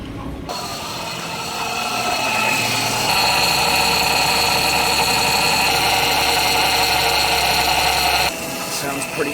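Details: 2008 Ford Fiesta Mk6 1.2 manual: engine starts and a steady high whine rides over it, the power steering pump running low on fluid, leaking where the pipe enters the steering rack, likely from a failed rubber seal.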